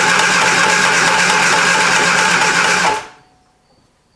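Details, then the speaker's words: 1973 Triumph Spitfire after sitting 3 years, cranking with choke in: about three seconds of steady cranking with a repeating tick once per turn; suspected something striking. "hear a clicky noise up here. >> Yes. >> Don't crank. Yeah. We want to keep all the fingers today. >> Do we have something hitting?"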